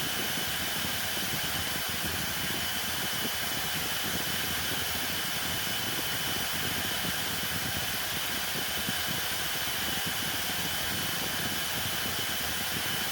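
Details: Hoover Elite Rewind Plus upright vacuum after repair and reassembly (extremely rusty belt shaft): steady high-pitched motor hiss with an even whirr, no rubbing, clicks or grinding; motor and brush roll running fine.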